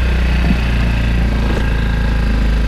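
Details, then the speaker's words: Go-kart that cranked but wouldn't start, suspected dirty carburetor; after carb cleaning and restart, before a drive: small kart engine at a steady, even low putter with no misses or surging, a clean, healthy idle. "there we go now we need to let the fuel go through the line but it sounds like it's running pretty good"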